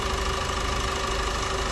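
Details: Opel Astra K at 169,000 km after heavy maintenance for timing chain noise, including intake manifold work: a steady, even idle hum with constant tone and no ticking or rattle from the chain; the engine sounds healthy.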